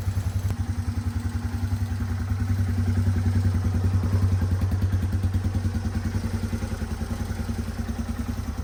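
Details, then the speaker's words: 1989 Yamaha Moto4 200 ATV, sat 15-20 years, after valve adjustment to cure a top-end ticking rattle: steady, even single-cylinder idle with no ticking; normal idle, valve clearance fix worked. "so as you can tell you can't really hear that noise anymore so I think that that was our fix"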